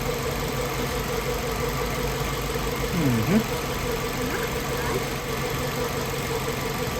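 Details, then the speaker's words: 2005 Kia Spectra 2.0L four-cylinder just started after timing belt, water pump and drive belt replacement; steady even idle with no knocks or misses; normal idle. "Started right up and it's running pretty good."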